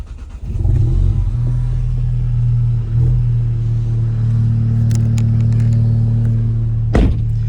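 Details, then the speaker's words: 2015+ Mk7 VW GTI just after installing an OEM RS3/TTRS low-pressure fuel pump with a custom wiring harness: pump primes, engine fires within half a second and settles into a smooth, steady idle; normal start, no EPC light. "she's alive and there is no EPC light"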